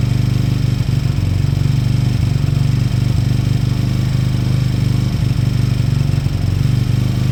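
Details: Beaten-up old Lexmoto motorcycle, many parts missing, idling after revival; smooth, low, even single-cylinder thump at constant beat, no knocks or rattles. Fuel then turned off, engine judged great, needing only new oil and a small service. Normal idle.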